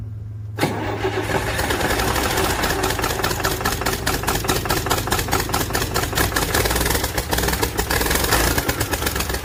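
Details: Hard starting on a DT360 diesel: a long run of slow, uneven cranking beats as the engine struggles to fire and catch cleanly.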